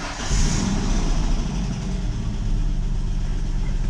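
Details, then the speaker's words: 2004 Mustang New Edge after fuel pump replacement, fuel pump heard priming: engine starts right up and settles into a smooth, even low rumble with no misses, knocks or stumbles; healthy start and idle. "And it starts right up. All right, that's good."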